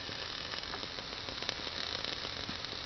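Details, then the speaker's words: Propane fridge burner lit for first time after hookup, smoking and popping at first, flame getting cleaner; steady dry crackle and fizz with scattered sharp pops, possibly water or mouse filth, cause unconfirmed. "So yeah, I'm sure it'll burn a while on propane, but I don't know how long. Again, you can hear that crackling noise."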